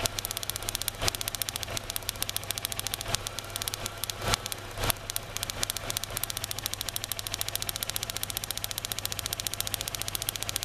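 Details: 2003 Kia Rio after crank-no-start, runs rough: sharp rapid snapping ticks over quiet rough idle, coil pack arcing between cylinder 2 and 3 towers and ground, decreasing somewhat once warmed; ignition coil arcing.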